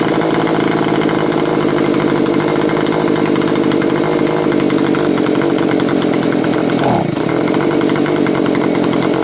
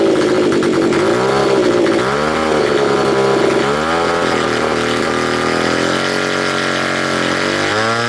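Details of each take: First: Curb-find Stihl BG55 leaf blower after lengthy carburetor mixture adjustment, screws set three turns out on low and two out on high: small two-stroke holds a steady buzzing idle with an even beat and no hunting or stalling. It idles normally. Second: Neglected curb-find Stihl BG55 leaf blower, first start-up on choke: small two-stroke revs surge and sag unevenly, pitch wandering instead of holding steady. It is running rough with the carburetor out of adjustment.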